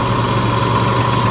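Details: 2003 Jeep Liberty idling after alternator replacement, battery light off and charging at 13.9 volts; smooth, even idle with steady low hum and faint whine, no knocks or misses; healthy, though it reportedly overheated and is low on water.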